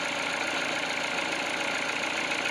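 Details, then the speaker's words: Peugeot 308 cold idle after greasing the water-pump pulley, belt replaced at 40,000: smooth even idle, no knock or rattle; cold crackle came from the pump pulley, not the engine, and disappeared once greased. "то есть машина холодная сейчас блоки нагреет и подтянется когда"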